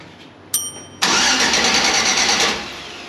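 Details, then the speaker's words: Engine freshly primed and leak-checked after fuel tank work: a click, then about 1.5 seconds of fast, even starter whirring that never catches. Cranks normally but no start; owners suspect clogged varnished injectors and plan new ones. "we're pretty certain everything's cranking like it should everything's really turning over like it is like it should be um this was the last thing that we that was on the list for no start uh from PSI so really we think we get these new injectors in"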